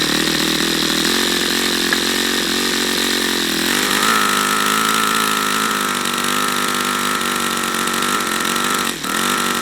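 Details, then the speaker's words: YS FZ63 model engine, first run, 22% nitro 18% oil fuel: high buzzing note wanders, sags and jumps in pitch, not running smoothly or reaching full throttle; owner suspects debris in the fuel regulator. "I don't understand why it's not going to Full Throttle now what am I seeing in here strange stuff there we might have some garbage in this fuel regulator that's going to need to be cleaned out"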